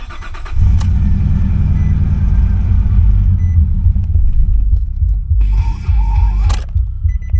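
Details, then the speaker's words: Nissan Pathfinder that broke down, after reconnecting unplugged crank position sensor: cranks, catches, runs roughly a few seconds then dies; owner suspects the unhooked mass airflow sensor and air intake pipe; runs fine once intake refitted. "Okay. Started and died, but that could be because my mass airflow sensor and everything is unhooked."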